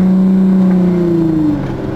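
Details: SRT-6 supercharger engaging at low speed: a strong steady whine over the engine as the car rolls at about 8–9 mph. It kicks in around 1,300 rpm and cuts out when stopped or in park.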